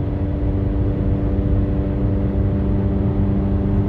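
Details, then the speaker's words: 2010 Kia Soul, driving after front-end work: loud, deep droning rumble with steady low hum and road noise; exhaust leak, owner suspects rusted joints, no engine code so likely not cat-to-manifold. "loud though I wonder where this one blew apart it has I think it has the same uh the same affliction and that would be uh rusted joints"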